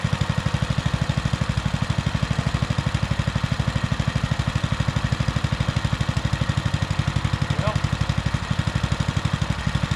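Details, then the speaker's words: Baja Motorsports Baja Warrior mini bike, single-cylinder, started cold in very cold weather after an intake air gap was sealed with rubber and adhesive: a low, steady, even thump of about three beats a second, idling cleanly off choke. "that was easier than I was expecting that's already off choke and it's just sitting there idling as pretty as it can be"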